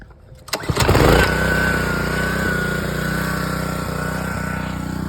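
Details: Gas power washer (described as Honda, also called Troy-Bilt) after replacing six gummed pump water seals that leaked between the brass fitting and the pump housing. It cranks, catches within a second and settles into a steady, even drone: running normally.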